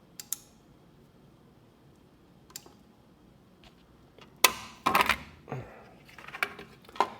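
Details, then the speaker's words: Noco GB70 lithium jump starter after stick welding use: switched on it acts stuck in bypass mode with sharp irregular clicking from its pair of 70 A parallel relays on the negative lead, likely fried. "so here's the behavior you turn it on it's automatically acting like it's in bypass mode and you hear the relays clicking in there"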